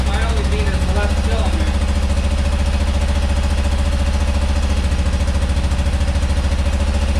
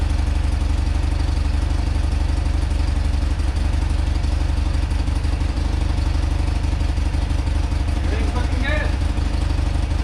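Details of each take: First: Rare carburetted twin motorcycle: lumpy thudding beat about 3.5 pulses a second, one side missing; running on left cylinder only, other carb bowl nearly dry, clogged old fuel filter suspected. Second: Rare motorcycle (1 of 286) on its first run after purchase, on full choke after fuel flow to the carb was restored and the float bowl refitted. Deep, even boxer-twin idle with steady firing pulses, no knocks or misses; runs clean and healthy.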